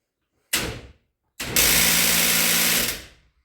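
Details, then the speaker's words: Genie screw-drive garage door opener trying to open: starts, stalls, then grinds harshly; stripped gear in the trolley, fixed by replacing the trolley. "I went to use it earlier this week, and when the door is trying to open, it just starts making this awful grinding noise, which I can do for you real quick."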